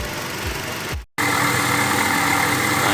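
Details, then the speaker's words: Toyota Kijang Innova 2.0 idling after a valve cover seal replacement: very rough engine sound with a gritty undertone caused by a failing water pump bearing; the water pump needs replacing. "ini adalah suara kelainan dari mesin Kijang Innova yang diakibatkan oleh bearing dari water pump yang sudah mulai rusak suara mesin Terdengar sangat kasar ya guys"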